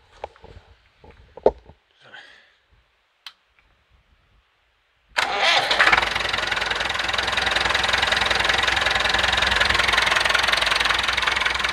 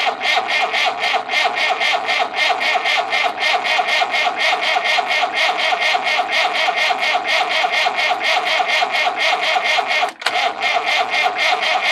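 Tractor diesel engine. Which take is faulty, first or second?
second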